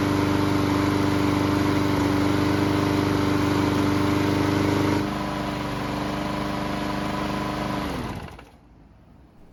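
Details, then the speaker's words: Bolens mower small engine that wouldn't start, after repairs, hot after several minutes running; smooth even speed, eases down, then stops; normal running before a hot-restart test. "So it's been running for several minutes and the engine should be good and hot."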